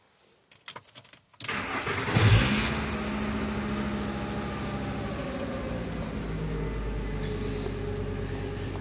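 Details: 1995 VW T4 with 2.5 L ACU engine that bucks and stalls once warm, despite many replaced parts and a third ECU; coolant reading 72°C: short cranking, quick catch and flare, then a steady, even idle without stumbling. Normal start and idle.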